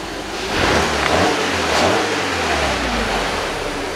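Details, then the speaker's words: 2007 VW Passat B6 2.0 after clearing codes P1400, P3089, P1063 and fuel pump module faults; engine catches and revs up cleanly with smooth even rise and settle, no stumble, throttle now more responsive than before, no codes returned. "на педаль такая отзывчивая стала раньше такого не было"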